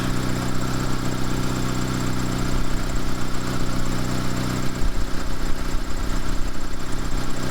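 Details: Two-door Mitsubishi Lancer CE after a new fuel rail and injectors, battery holding charge, charging at 14.5 V. Smooth, even low hum with a steady beat and no knocks or stumbles; idling normally.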